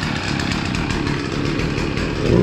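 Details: Husqvarna 553 RBX brushcutter two-stroke, previously non-running: steady, even buzz at constant revs without misses or surging; running properly.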